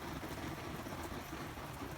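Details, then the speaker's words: 60-year-old army mountain pressurised gasoline stove, pumped and lit: steady full rushing roar with no sputtering or surging once the flame clears; normal burner roar at full flame. "then you just let it burn and then it'll glar out and then it'll get to a point where it'll start clearing out see it's going clear now"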